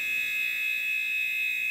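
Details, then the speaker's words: TI-99/4A console probed with a signal tracer pickup near switching circuitry: loud, steady high-pitched tone near 2.5 kHz with fainter overtones; strong high-frequency electrical noise from this chip, of the kind heard in the audio output. "you can start to hear some of the high frequency noise that is characteristic when you're listening to the audio output which you know is the whole thing we can hear this noise this one's really bad"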